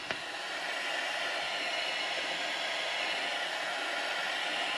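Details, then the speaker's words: Steady hissing rush of water, no pulsing, whenever the cold tap runs: faulty incoming mains pressure reducing valve noisy under any water draw, loud enough to wake occupants at night; to be replaced with a new combination pressure reducing valve and shut-off. "Now I don't know how loud that is coming through on the camera, but it is enough to just get inside your head and cause you a sleepless night."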